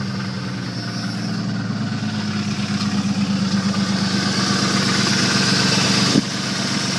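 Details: 1989 Jeep Cherokee rough idle with a heavy, regular knock of about three per second that grows as revs rise; a deep knock, possibly a bad connecting rod.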